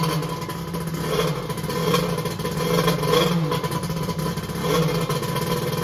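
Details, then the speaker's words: X2 two-stroke that had been hard to start, restarted right up: buzz rising and falling as throttle is blipped, firing evenly without stumbling; later hot, about 150°F front cylinder, 186°F head; starting fault not fully solved. "i'm gonna see if i can get it going again and run it for a few minutes [Music] [Music] okay it started right up"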